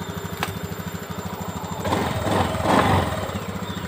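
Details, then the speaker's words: Honda Beat ESP injection scooter with the idle adjusted to the factory 1300–1500 rpm guideline: a steady, even single-cylinder putter with no stumbles, hunting or misses. Normal idle. "intinya tetap standar karena ada standarnya kalau dari bawaan pabrik itu sekitar 1300 sampai 1500 sudah cukup Jadi kita pakai panduan itu"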